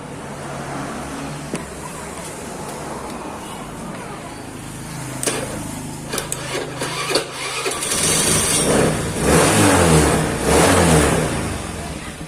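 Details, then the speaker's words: Honda Beat scooter with 54 mm big-bore piston, high compression and no decompressor fitted, starting on a newly fitted budget battery at 13 V: slow, heavy starter churning for several seconds before it catches and revs; labored cranking from tight compression. "Oke, percobaan pertama bisa ya, tapi agak berat karena memang kompresinya ini padat ya guys."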